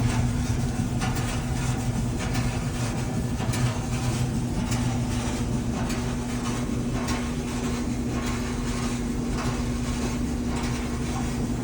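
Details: Dryer (Samsung procedure shown; newly bought scratch-and-dent unit) making a grinding noise: steady low rumble with constant hum and faint scraping as the drum turns.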